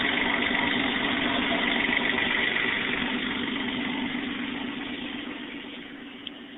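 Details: 1994 Toyota 4Runner, 3.0L V6, after a top-end rebuild: even, steady idle with a smooth, quick regular pulse and no knocks or ticks, settling and running clean; normal idle.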